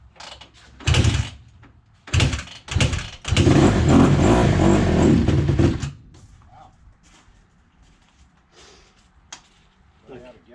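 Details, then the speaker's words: 2008 Honda CRF150: several short sputtering bursts, then it catches and runs a few seconds before quitting flat. Engine stalling; it seems starved of fuel, not confirmed. "out of gas already now. It's not getting fuel."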